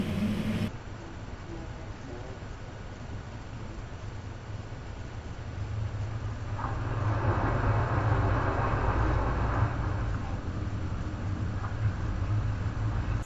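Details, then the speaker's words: 2015 Chevy 1500, about 25,000 miles, towing a gooseneck trailer: heavy engine drone with revs swelling mid-pull without matching road speed; automatic transmission slipping, dealer found no fault codes. "clearly in the video you can hear the transmission slipping and they said they can't find anything wrong with it"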